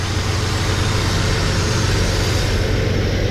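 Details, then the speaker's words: Chevy S10 idling with the valve cover off during valve adjustment: a rocker is backed off, giving excessive lash. A loose, irregular tapping sits in the low rumble as oil squirts. Valve tap from excessive lash. "you'll hear it getting noisy there it is now it's squirting oil there It Go did you hear it that thing's tapping away"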